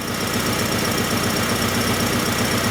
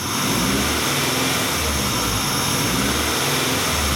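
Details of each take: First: 1994 Acura Integra 1.8 L DOHC after a cold fast idle valve adjustment fixed its surging idle; the cold fast idle is still a concern. Even, steady firing pulses with no hunting: normal idle. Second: 1994 Acura Integra 1.8 L DOHC with the typical Honda idle surge when warm. Idle rises and sags in a slow pulse about once a second; a scope shows the injector cutting out and back in. Fix: adjust the cold fast idle valve.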